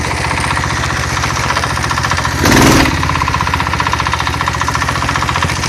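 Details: Single-cylinder engine with generator, after the cover was refitted: a sharp knock every beat at no-load idle, with a brief throttle blip. The knock vanishes under throttle or light generator load; crankshaft bearings suspected of wear, not confirmed.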